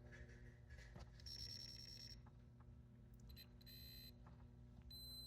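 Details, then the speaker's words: Williams System 11b Black Knight 2000 pinball lamp matrix, logic probe at the Q55 driver input. Short high beeps over a low hum match the other drivers, so this stage works and the big transistor is suspected as the fault. "Memorize that. So those sound the same there, and so it's probably this big transistor here."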